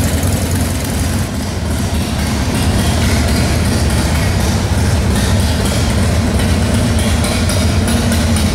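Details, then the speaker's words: 1995 Harley-Davidson Wide Glide Evo 80 CID V-twin after installing Total Seal gapless piston rings, warming up: a deep, loping idle that holds steady with no knocks or rattles. It runs better than before, with no upper cylinder noise. Normal idle. "well how's it run amazing it sounds better throttle response yep better than before"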